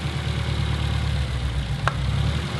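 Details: Car with the check engine light on for a cylinder misfire, before spark plug and ignition coil replacement, with coils pulled one at a time while running: an uneven, lumpy idle with a dull low throb that stumbles with one coil disconnected.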